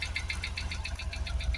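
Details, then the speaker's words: Jaguar XKR V8 after twin fuel pump replacement for a no-start: first run, uneven lumpy idle with stumbling low beat and regular ticking, bonnet visibly shaking; running on seven or maybe six cylinders; engine misfire at idle. "you just tell by the vibration look at the Bonnet going we're definitely only running on uh seven cylinders maybe six but we're not all not on the full eight but we're running"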